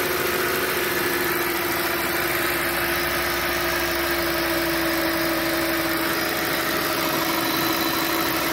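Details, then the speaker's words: 2007 Audi S8 with about 73,000 miles, cold start after sitting at least a month: smooth, even idle with normal injector ticking and a faint high-pitched whine from the air pump running; nothing abnormal. "You can hear a high-pitched noise. The air pump is running in the background. Other than that, I don't hear anything besides the normal injector noise."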